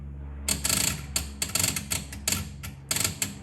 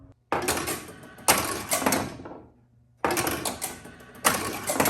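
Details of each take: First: 1976 Bally Flip Flop pinball: the flag one relay chatters in bursts of uneven metallic clicks when the playfield is vibrated or its small switch moves, caused by that misadjusted switch. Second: 1976 Bally Flip Flop pinball: the outhole kicker fires with a sharp clack and relay/motor rattle every three seconds without a miss, after the outhole relay switches and the score switch firing the outhole coil were cleaned and adjusted.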